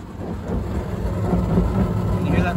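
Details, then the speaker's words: 7 kg Candy heat pump tumble dryer running about 12 minutes in. A low, uneven bump-bump rumble repeats each drum turn over the hum of the fan and pump, which sounds not completely smooth. Drum rumble from a dented drum track. "it's more frustrating that bump bump bump noise but kind of is what it"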